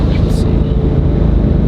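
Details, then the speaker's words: Chevrolet SS sedan with a one-piece driveshaft on a test drive at about 100 mph: steady low road rumble with no thumping, shudder or rhythmic vibration; driveline smooth. "got it up to 100 mph and uh no vibration so we're good to go"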